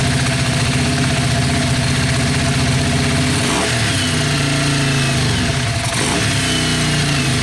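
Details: Yamaha Virago XV500 V-twin café racer with a newly mounted SU carburettor and ram pipe, mic near the ram pipe: fires up, settles into a lumpy but even idle, two clean throttle blips with strong intake roar; healthy.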